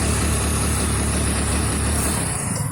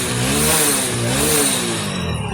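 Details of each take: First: Hero Splendor BS6: choked, uneven running with irregular dull pops, missing and not reaching full RPM or taking full throttle. Several mechanics failed to fix it and the scanner showed no fault. The cause was the faulty magnet coil (CKP sensor). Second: Hero Splendor BS6 after fixing the faulty magnet coil (CKP sensor) that caused misfiring: revs rise and fall smoothly to full RPM, with no missing, jerks or cut-outs. The engine runs clean.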